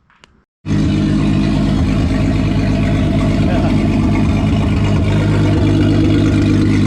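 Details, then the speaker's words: VW VR6 turbo engine with methanol injection and intercooler at final assembly after rebuild; open throttle body tied together to get it to idle right: fires up and settles into steady, even idle, no misses or clatter; idling cleanly. "so he likes that a lot better well i realized that the math wasn't working since it was an open throttle body so yeah i just tied it together just to see if i get it to idle right"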